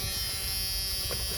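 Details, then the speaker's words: 1986 Ford F350 6.9 IDI diesel, key on, engine off, during first start attempt: steady even buzz in the cab, key-in-ignition warning buzzer working, cab light on. "Can you hear it? We got key buzzer. And we got cab light."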